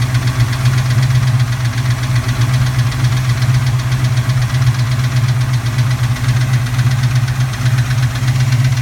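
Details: Cold start on a recently rebuilt 331, heard on the passenger side: heavy, uneven metallic clatter over a deep rumbling idle, valvetrain or piston slap suspected. It fades at operating temperature and raps more under medium load. Power and oil pressure are good.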